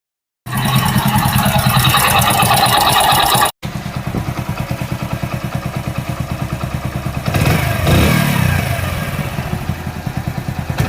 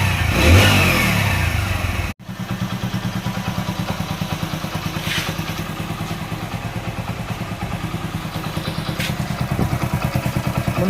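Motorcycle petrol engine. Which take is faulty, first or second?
second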